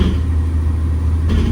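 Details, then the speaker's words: 2012 Ford F150 3.5L EcoBoost, 296k miles, after coil-on-plug testing for random load-related misfires (suspected mismatched-coil crosstalk): stalled up in gear against brakes, steady even low drone, no stumbles or dropouts; clean running under load, loud suspension. "And it stays flat. No misfires at all."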